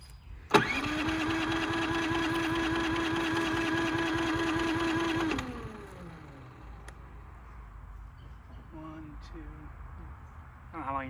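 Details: Brand-new Harbor Freight Predator 3500 generator with new oil and fuel stabilizer, hard to start warm or cold: steady high whirring crank for about five seconds that winds down without catching; it turns over but won't start.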